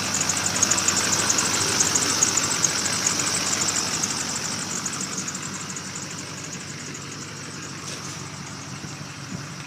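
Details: 2002 LB7 Duramax diesel idling after a winter no-start (started unplugged, died after a minute), fixed by changing the fuel filter and re-priming; steady, even injector clatter, no stumble or miss.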